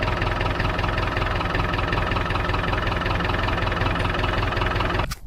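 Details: David Brown 990 diesel tractor, running after about five liters of oil added, started to try the hydraulics: even, regular idle clatter at steady speed until shut off; healthy idle.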